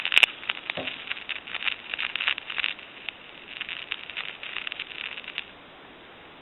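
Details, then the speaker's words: Thomas Collectors Edition Country 1927-style telephone; no dial tone and numbers won't dial out, only thin crackly static in the handset. The board is transmitting into the handset, a faulty main board. "all we get is a staticky type noise now from our initial troubleshooting what we've found out was basically the board has transmitted into the handset"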